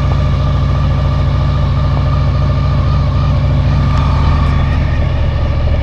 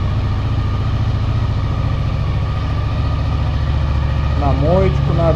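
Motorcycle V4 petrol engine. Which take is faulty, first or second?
first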